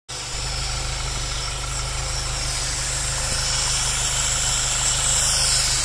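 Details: Engine fitted with dual catch cans at idle: uneven, lumpy pulsing beat about three or four a second instead of a smooth hum. Rough idle.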